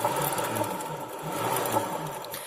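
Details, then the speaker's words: Honda Beat FI scooter CVT, rear wheel hand-spun: rough, pulsing "grok grok" whir from a worn needle bearing in the rear pulley. Owner also reported rough CVT noise and judder at certain rpm. "Nah untuk suaranya kasar itu di sini nih laher bambu ini"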